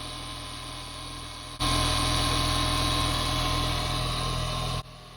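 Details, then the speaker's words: 30-year-old alternator on an Audi RS2 at idle, before removal and rebuild: loud steady whine and rough whirring from worn alternator bearings. "So, just let you have a little listen to that now. So, you can hear the bearings whining away."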